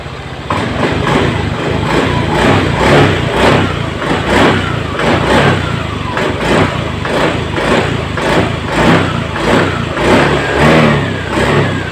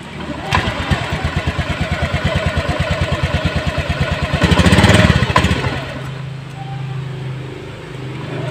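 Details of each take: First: Honda Beat Eco injected scooter after fixing the TPS sensor wire chafed by the air filter box, previously stalling when throttled; clean quick throttle blips rising and falling crisply with no stumble or bog: normal throttle response. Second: Honda Beat Eco injected scooter stalling by itself, dying when throttled, powerless, late throttle; TPS low-voltage code and injector code 12, TPS reading 0.02 V; uneven idle, lazy rev surging then sagging nearly dying: chafed TPS sensor wire.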